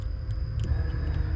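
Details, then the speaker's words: Twin-turbo Mustang Cobra, key on, triple fuel pump hat with ethanol-rated Ford GT40 pumps, each on its own relay and fuse; pump one primes with a short steady electric hum under a low rumble; normal fuel pump priming. "so check this out pump one I know y'all can hear it but that's a pump turning on"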